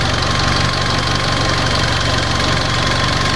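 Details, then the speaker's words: Fiat 500 after head gasket and repaired cylinder head refit, idling while coolant is bled; steady, smooth, quiet low rumble, no knocks or ticks; owner notes it dips when fan or demisters load it, suspects bad earth or failing battery. "Cuz as soon as it stops, it idles perfectly. How quiet that engine is."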